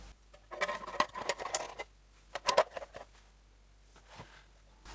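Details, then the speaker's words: Weller soldering station after the fix, with small sticks wedged in to stop a 10-year transformer buzz: only light taps and clicks from handling, no steady hum. Noise totally gone. "Noise totally gone."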